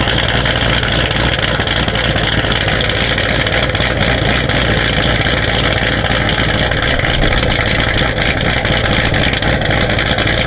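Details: Built C7 Corvette Z06 V8 with a big cam and upgraded fuel pumps, at about 70°F, idling after start, head-cam recording: loud, choppy idle with an uneven loping beat and heavy exhaust rumble; big cam at idle, engine healthy.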